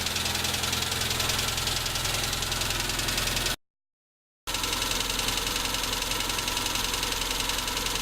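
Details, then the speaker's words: Tavria, MeMZ-245 engine, ~800 km after rebuild with Avtramat pistons and 1.2 crankshaft, idling: light sharp tapping three to four per second, louder when cylinder 4 is cut and on throttle release; suspected piston pin knock in cylinder 4 bosses. "Стук отчетливый. Пробуем отключать цилиндры. Отключение 4-го цилиндра. Стук усилился. Выхлоп нормальный, тяга нормальная, двигатель работает ровно. Предположение на поршневой палец 4-го цилиндра."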